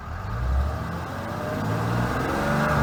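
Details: 2012 Ram 3500 6.7L diesel: thin whine rising over the engine roar every time it accelerates; whining noise under acceleration, source not pinned down.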